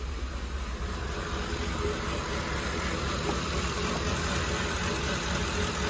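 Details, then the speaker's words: Ford with bank 1 and 2 rich codes and erratic VCT, warmed up at idle: steady low rumble with a buzzing from the valve cover (PCV baffle) that worsens as the engine heats up. "guys like kind of like laboring but listen to this valve cover it only gets worse as the vehicle heats up so you'll really hear it buzzing from here so that's obviously a concern"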